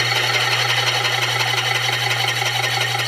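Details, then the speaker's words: Rebuilt 30-lb Kerrihard power hammer running on a 3/4 hp 110 V motor: motor hum under a rhythmic beat of about three per second, with a thin high squeak each cycle from the drive, where the slick pulley surface lacks friction and slips. "Nó có tiếng kêu ken két, phải không?"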